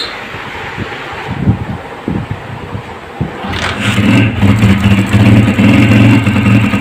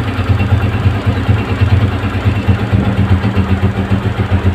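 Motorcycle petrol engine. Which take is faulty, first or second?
first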